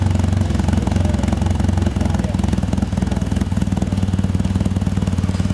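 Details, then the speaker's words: 1997 Mitsubishi Eclipse with faulty upstream O2 sensor fixed rich, P0300 stored: runs smooth on initial start, then loping, uneven chug about once a second once it enters closed loop; lean misfire from the bad sensor. "initial startup it runs good starts chugging after that when we go into Clos Loop starting to chug"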